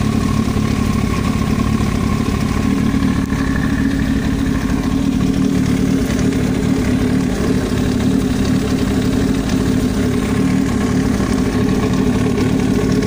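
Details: Yamaha YZF-R1 motorcycle at steady idle with faint clatter over engine note, extraneous noise from the cylinder head of unknown origin; engine top-end knock.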